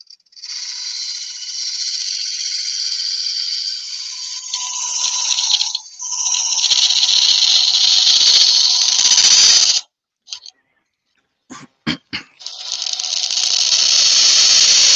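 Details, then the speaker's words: Woodturning lathe, eucalyptus branch goblet: harsh high buzzing screech comes and goes with each cut; tool chatter and vibration because the tool overhangs too far past the tool rest. "Now we're getting all that noise, that vibration noise, because this tool is nearly too far over. It's over the tool rest."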